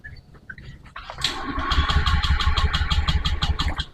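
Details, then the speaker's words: Honda Beat ESP scooter that will not start, MIL blinking code 12 (injector fault on Honda): electric starter spins the engine at about three pulses a second but it never fires; injector suspected, not confirmed. "jadi motor ini tidak mau hidup Ya saya coba Saya coba starter"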